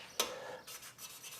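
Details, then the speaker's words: VW Beetle air-cooled cylinder head, hand lapping a pitted valve against its seat with a suction stick: light dry rasping strokes, no gritty bite, sound changed because the lapping paste has worn away; seat polishing up. "you can hear now the noise has changed. That's because we've worn all the paste away."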